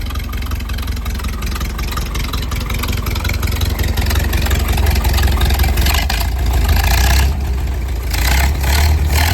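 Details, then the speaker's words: 1929 Ford Model A hot rod, flathead four, Tattersfield downdraft intake, Stromberg 97 carb, Model B distributor, started before a drive: loud steady four-cylinder chuff at idle, clean revs, no misfires; exhaust much quieter than before, still loud. "Much better, actually much quieter overall than it was. I mean, it's still pretty loud, but definitely better."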